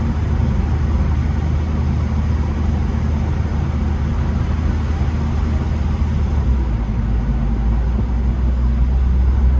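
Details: Late air-cooled Porsche 911 Type 993 after cooling fan replacement for age-related engine noise, test drive: steady deep drone under even road rumble, no rattles or scraping from the fan; smooth, healthy.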